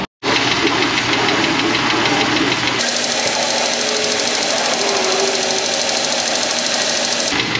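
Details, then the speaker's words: Car 14,000 miles overdue for an oil change, after cooling-system work: steady idle with a fast, light ticking after start-up. The tick may or may not quiet down as the engine recovers; source not determined. "It might recover and the tick will get quieter, it might not."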